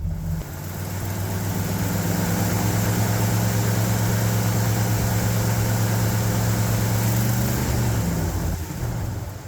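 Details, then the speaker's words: 1972 Ford F750 "Super Pickup" V8 after distributor reset and tightened, 15° initial timing plus 15° mechanical (about 30° total): starts readily, steady even low rumble with no misses or knocks; normal idle. "oh naturally what do you know cool deal we'll take it has a pretty good idle note at this"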